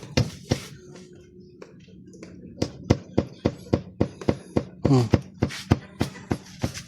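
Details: Konzert Pro Audio PM-12pro speaker: sharp dull ticks about three or four a second over a faint hum, and sound cannot continue. Suspected failing supply capacitor; also check the 47uF/25V and SMD capacitors, the 3R3 1 W SMD resistor (2512) and the XL1509 IC.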